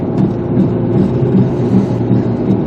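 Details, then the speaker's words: 2005 Ford Explorer driving, heard inside cabin, barely noticeable outside: low rhythmic boom about twice a second under road noise; worn front wheel bearing, later replaced. "You hear that boom, boom, boom, boom, boom, boom, boom?"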